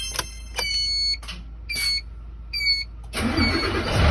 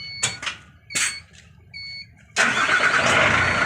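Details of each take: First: Hino Victor 500 ten-wheel truck, 260 engine, at start-up: harsh whirring grind continuing after firing, as if cranking again; starter motor suspected, weak spring or pinion not retracting. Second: Hino Victor 500 ten-wheel truck, 260 diesel engine, after cleaning dust from the starter motor: a few clicks and a brief chime, then it catches at once and runs smoothly, with no longer any noise after starting.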